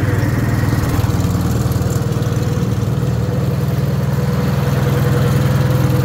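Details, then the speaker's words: Wisconsin THD air-cooled engine on a wooden bench with a flush-mounted head said to run quieter: deep, even putter at steady idle, regular firing, no knocks or misses; good running shape. "I just kind of thought that head was cool, but man, it definitely makes it quieter."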